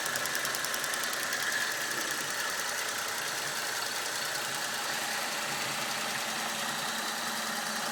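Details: Holden VE SV6 petrol V6 at idle with a fast, even clatter of light ticks over the engine hum; owner asks if it is knocking, cause unconfirmed.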